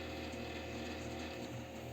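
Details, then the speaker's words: Dusty desktop PC that shuts off after about 3 minutes; low, steady droning howl with a faint rattle and no speed change from the CPU cooler fan, whose bearing is dry and worn: worn dry CPU cooler fan bearing. "Вот мне пришел такой системник полу грязненький слышите Да как он воет"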